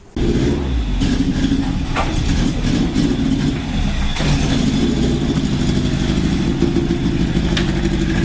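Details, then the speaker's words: Toyota Hilux truck that sat four years, fresh fuel added months ago, tank probably rusty: steady low idle with uneven, stumbling beat and occasional hiccups; runs rough, owner suspects a fuel issue, not confirmed. "alright says you can hear it's raining like a [ __ ] turd so I'm not sure why and probably a fuel issue"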